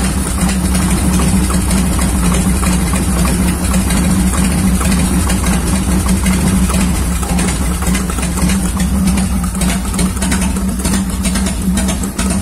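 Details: 1990 Harley-Davidson Fatboy Evo that would not start because of a fuel-starved carburetor, after the carb was cleaned and refitted: the big twin settles into a steady, even loping idle with no misses or knocks, running cleanly.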